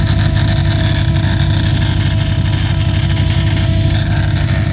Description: The chain of fittings that contains the pressure relief valve, ethanol sensor adapter and check valve generates this click sound when fuel is flowing through it.